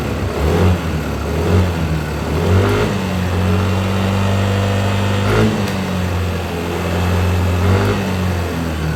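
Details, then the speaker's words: Yamaha Aerox scooter, revving after replacing faulty injector that caused no power and sputtering at high rpm: clean, even revs rising and falling smoothly off idle, no stumble or bog; fixed. "Oke, motor nyala ya. Kita coba gas untuk setelah diganti injektor ya."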